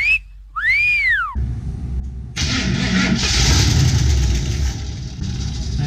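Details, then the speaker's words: Van started after sitting for years, with the choke wired open and a little fuel down the throttle: the starter churns at about four beats a second with ragged firing building. The engine is close to catching but won't run yet. "sounds like it's gonna run let's uh give it a whirl"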